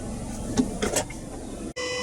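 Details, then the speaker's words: 2024 Mazda CX-50 after an oil change, car off the ramps: after clicks and handling, a steady humming whine settles in and holds even; owner says the fuel pump makes this noise every time; normal. "Here's the fuel pump making all that noise, isn't it? It does it every time. Pretty annoying."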